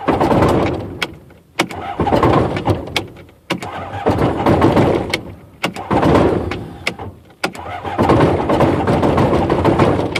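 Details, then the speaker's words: Rotax aircraft engine with brand-new Odyssey 236 battery, hard to start especially on cooler days, choke on, throttle back: starter whirs in short bursts with pauses, prop stops while starter keeps spinning; never catches; owner suspects the starter clutch. "Yeah, she ain't gonna go. So it's actually a little different than it was yesterday. Yesterday it would spin the prop quickly and you could hear it kind of firing."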